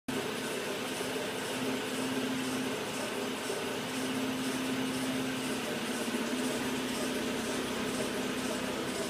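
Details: 2009 Citroën Grand C4 Picasso at idle: faint cyclic squeak from the engine coming and going regularly; seller claimed a temporary belt noise from sitting long, source not confirmed.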